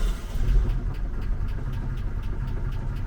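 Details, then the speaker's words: 1988 Opala Diplomata, carbureted or on FuelTech FT450 injection, started after sitting: light regular ticking about four times a second over a low idle rumble; lifter tick, engine keeps running. "Er begann Lifter ticken und es geht"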